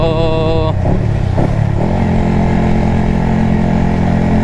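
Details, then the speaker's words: Sniper motorcycle back from the shop, hose replaced, under 500 km since: steady, even low idle putter from the small single with no knocks or rattles; engine still quiet, sounds healthy. "So far so good. Walang masyadong awerya dito. So yan sarap gamitin yan. Tahimik pa rin yung makina after ano after ilang kilometers pero hindi pa naman to nakaka-500."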